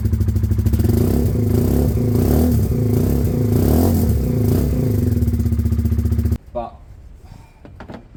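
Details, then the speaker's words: Project motorcycle started on a different, better battery after the old one seemed weak: even, quick cranking beats at about four a second, then it catches and runs before cutting off. Normal crank and start. "stronger sounded similar really but it is a better [Music] battery"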